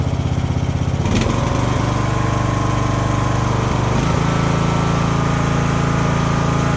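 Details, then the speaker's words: Free roadside lawn mower with brand-new carburetor, single-cylinder running steady with even fast beat, no misses or surging; normal running. "I guess you got a free running mower."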